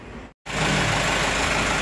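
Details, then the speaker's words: Mitsubishi Canter HDL 136 diesel truck after replacing cracked injection pump timer that caused rough, shaky idle; steady, even idle with no knocks, misses or rattles, engine sounds smooth and normal. "Oke sudah ready bosku Ya enternya suaranya masih halus mesin Ada kemungkinan ya masih normal Masih normal"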